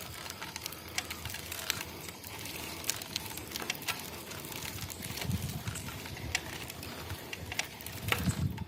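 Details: Boardman SLS 9.8 road bike: quiet rolling with scattered sharp clicks at uneven intervals, an irregular ticking whose source still needs tracking down.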